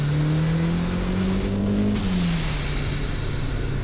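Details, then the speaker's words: Budget turbo Mazda Miata with knock-off HKS blow-off valve, mic in engine bay, full-throttle pulls: engine note climbs hard with a thin rising turbo whistle at higher rpm and boost, then quick release on lift; healthy turbo and BOV. "this thing sounds sweet and with that miced up engine bay you really could hear that turbo streaming at higher rpm and higher boost"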